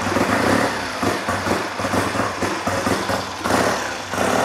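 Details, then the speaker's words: Triumph with non-standard magneto on bench: lumpy tick-over swelling and sagging about once a second, hesitant on throttle blips; carb setup, needle position or cables suspected, not confirmed. "it's been run already but it's sounds a bit lumpy there"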